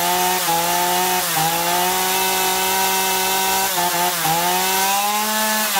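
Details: Chainsaw after carburetor cleaning (previously bogging and losing revs even unloaded), both L and H screws set 1.5 turns out: strong steady high buzz holding revs, brief dip under cutting load, no bogging; running normally.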